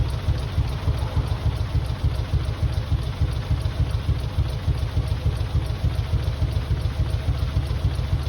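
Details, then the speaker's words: Mitsubishi 3000GT VR4, new engine's first start on old, long-sitting cleaned injectors. Deep idle with a steady lope of about 3.5 pulses a second. Owner suspects injectors, with one or two cylinders misfiring, and hopes warming up will help. "Definitely injector problem. Probably one cylinder misfiring right now, or maybe two."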